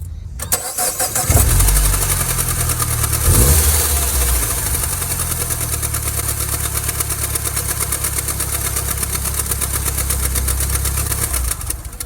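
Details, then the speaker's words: 2nd-gen Mini Cooper at idle with the friction wheel re-engaged: rough idle with a fast, irregular slapping chatter from a damaged accessory drive belt missing chunks of rubber; friction wheel and water pump drive checked fine, belt replacement fixed it. "And the problem is not the friction gear, the problem is the belt. It's missing those chunks."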